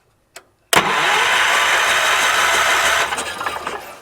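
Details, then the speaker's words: 1978 Wheel Horse C-121 garden tractor, key turned with a jump box: starter spins steadily a couple of seconds then winds down, never catching; owner suspects something wrong in the coil/ignition system. Cranks but will not start. "That is not doing anything. That is troublesome. Well, I do believe we have something sinister going on here. That's not doing anything, is it?"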